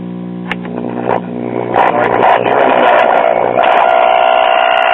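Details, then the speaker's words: Sears Silvertone battery-operated farm radio (late 1930s–early 1940s) with battery eliminator; after replacing filter capacitors (1500 µF) and cutting a cap out of circuit, low hum gives way to a rising harsh buzzing howl and loud steady squeal, the set breaking into oscillation. "But now we got a lot of oscillation crap. We're not going to go ahead with this."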